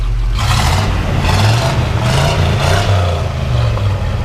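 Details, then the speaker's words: 1985 Chevrolet K5 Blazer Silverado V8 with 96K miles, revved a little: a deep note rises smoothly through a few quick blips and settles back, even and clean throughout. A healthy engine. "You know, it sounds really good. Go ahead and rev it up a little bit."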